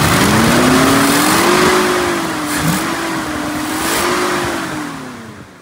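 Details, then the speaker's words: 1969 Mercury Cougar 428CJ V8 running after a carburetor installation, with a small leak at the rear. A steady, smooth exhaust note wavers slightly with throttle, with no knocks or misses: running normally. "it fired up we've got a little leak back here but I'll handle it play it top running like a top beautiful all right"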